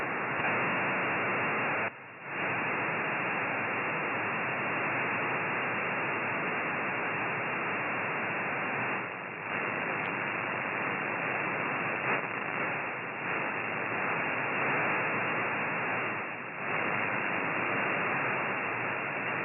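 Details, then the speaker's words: GA-450 battery-powered active magnetic loop antenna: a loud steady hiss swamps the SDR radio audio and dips as the switching power supply is moved away from the antenna box; this is interference from the switched-mode supply. "in in a moment I will present your short recording showing the influence of sweetness switching on power supply from this antenna location on on the antenna box and moving it away from antenna"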